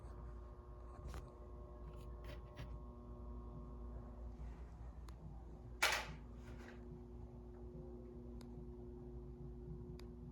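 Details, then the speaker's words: 52-inch Commander Angel ceiling fan, restored, run on a non-original replacement wall control from eBay: steady low electrical hum from the fan and wall control on speeds 1–4, while speed 5 (highest) is quiet. "1, 2, 3, 4 makes a humming noise, but 5 doesn't. 5 is quiet. 5 is the highest speed, and 1 is the lowest speed."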